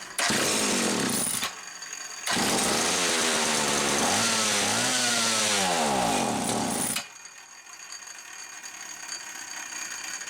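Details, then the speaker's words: Homelite 360 chainsaw, bench test for inconsistent running: screams at full revs, cuts out, returns with wavering revs, then dies as fuel spurts out the top; engine surging and dying from fuel starvation, misaligned carburetor bushing. "there it sounds like it's starving out but then we can see fuel blast out right there as it's dying"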